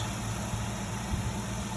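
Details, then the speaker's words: 1995 SN95 Mustang Cobra, first run in years after adding a battery and fresh fuel: quiet, steady low idle with an even beat, no ticking, knocking or stumbling, no leaks seen yet; healthy normal idle. "And look at it. Idling nice. It's quiet."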